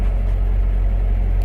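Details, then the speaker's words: Ford Ranger brought in because it doesn't run right: engine idles rough and uneven with a steady low rumble that stumbles now and then and the vehicle shakes; cylinder 4 misfire. "Oh, it's definitely got a misfire. It's definitely skipping. It's running real rough."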